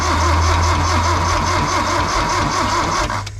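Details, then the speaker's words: 1972 Toyota Celica 18-RC engine, first runs in 26 years, cranked with coil disconnected (no spark): repeating slap from the top front of the engine each turn, seemingly from all cylinders; cause unconfirmed. "Kind of almost sounds like it's coming from up here, huh? It kind of felt like it was coming from right in there."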